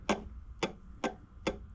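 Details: Borg Warner 1356 transfer case on the bench, planetary gears rolled by hand: sharp, evenly spaced ticks about two per second; a horrible wear issue is noted, and the owner wonders if it was run in 4WD a lot, but gear wear is unconfirmed.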